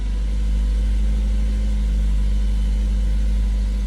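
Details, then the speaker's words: 2012 Mazda 3i after fixing a clicking no-start by cleaning a cable terminal (new battery and starter hadn't helped): engine catches and settles into a steady, even idle with no knocks or misses. "I'm going to show you it was clicking before no start and now there you go starting"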